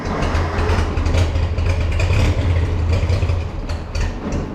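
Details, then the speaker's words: Farmall 460 tractor, rebuilt engine, old ignition before electronic ignition upgrade, fuel on: low, lumpy idle stumbling irregularly with uneven beats, ignition misfire; engine about to die and tractor won't move. "Right off the bat, you can tell it's not running right and she's going to die."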